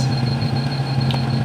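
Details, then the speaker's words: Kawasaki Barako 1 motorcycle, long-stored, after rusty tank cleaned and electrics, headlight and bulbs restored: steady, even low idle with constant hum, no knocks, misses or whistles; running well now. "Alright, nice na ayos yung andar guys."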